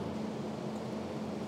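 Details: Marunaka GT Slider super surfacer (planer) on three-phase power from an Onan generator, after fixing a blade-position sensor issue: steady, even hum with low drone, feed belt moving, no knocks or rattles; normal running.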